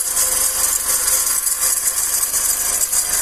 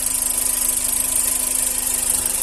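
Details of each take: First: 2008/2009 G5 petrol engine idling with a steady high, hissing whir and faint fast rattle from a worn tensioner pulley bearing. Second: G5, about 2009, idling with the accessory belt removed and the phone held at the timing belt area: faint, even idle with no chirp or whine, the timing belt is fine, and the noise is blamed on an auxiliary pulley bearing.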